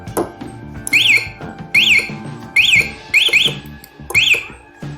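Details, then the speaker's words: Locked motorcycle with MP alarm, buzzer covered to muffle it, shaken: chirping siren rising and falling about once a second; vibration-triggered alarm arming and sounding normally. "Kondisi motor sedang terkunci, makanya kalau digetarkan alarm akan nyala."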